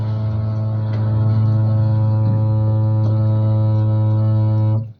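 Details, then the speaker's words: Samsung washer-dryer, noise persisting with machine unplugged: loud steady low buzz that stops when the water supply is closed; dryer/first-water inlet valve stuck open, chattering under water flow. "válvula galera válvula é a a válvula da secagem aqui está aberta está aberta Então ela fica dando essa trepidação porque tá funcionando a água"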